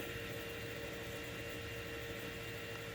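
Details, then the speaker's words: Factory Five '35 extended cab truck build before its first start, coil wire not connected: steady, even hum with a faint constant whine and no surging or rattle as the electric fuel pump runs at key-on. "All right, there you go. We got power. You can hear the fuel pump."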